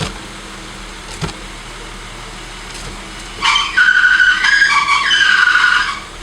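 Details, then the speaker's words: 1986 BMW E30 325e at idle, steering held at full lock each way: high wavering squeal from power steering before an ATF flush; noise remained afterwards, and the owner suspects the pump bearings need replacing or lubricating. "So, a good indication that your power steering has gone bad is, or your steering rack has gone bad, is the sound that it makes when you're at full lock."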